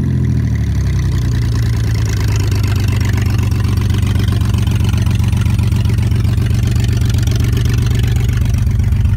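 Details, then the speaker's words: 2001 Ford Mustang V6 project car with no check-engine light: loud, deep open-pipe rumble that pulses unevenly at idle, suggesting missing cylinders. Rough running; it needs spark plugs, and only one new plug had been fitted the day before. "[Music] no check engine going there you guys have it it may not sound the best but me to be a v6 it's gonna be a good project car"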